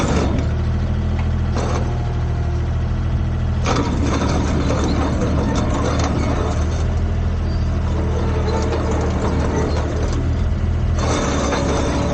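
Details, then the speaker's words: Komatsu PC10-3 mini excavator diesel at low idle, enough to keep the battery charged: steady even chug with no knocks or odd noises; normal low idle. "That's the sound the machine makes at low idle. Just enough to keep the battery charged and not discharge it."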